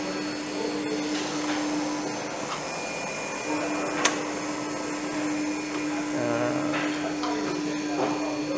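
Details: Three-phase motor on a mechanical trainer driven by a newly wired G2 VFD, testing forward/reverse: steady even hum with one constant mid tone, no knocks or rubbing; running normally.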